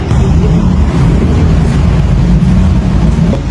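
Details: Honda ADV 160 scooter that had been hesitating and failing to start, with a rusty magneto suspected. After the spark plug cap was replaced, and while still on the old spark plug, it gives a deep, steady drone with no misses, stumbles or popping.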